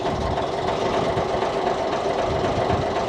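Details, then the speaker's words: 47-year-old Ford FW30 articulated tractor diesel, after a reconditioned injector pump was sorted and refitted, not its first start: steady, even diesel clatter with no misses or extra knocks; smooth, healthy normal idle. "Listen to that. That's so much better. So much better. Yeah, she definitely ready for a bit of work again now."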